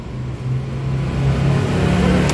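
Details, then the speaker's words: Dodge Neon that wouldn't start after oil pressure switch replacement, after reseating a connector on the starting circuit: brief crank, then engine catches and settles into a steady low hum with no stumble; starts normally. "listo no joda vale Ya le volvió el color a la cara toda ya le volvió el color a la cara"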